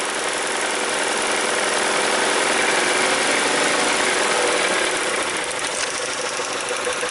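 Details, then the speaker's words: 2003 Mazda Protege at hot idle with an uneven, lumpy beat from a single-cylinder misfire; the complaint is rough running and stalling once warm, tested with an in-cylinder pressure transducer. "all right we're running with a single cylinder misfire here"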